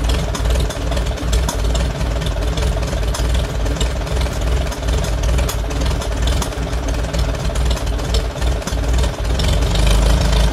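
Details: Farmall A tractor first start after removing, cleaning and rebuilding the Zenith carburetor, fresh gas: low, loping four-cylinder idle with slightly uneven beat, running on after start-up before tuning.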